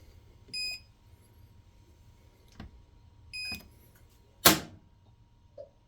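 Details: Kenmore washer won't start: two short beeps and a lock clunk, then silence with no motor or fill; whatever cycle is selected it shuts itself off and stays locked. Recently power-cycling restarted it, now it doesn't.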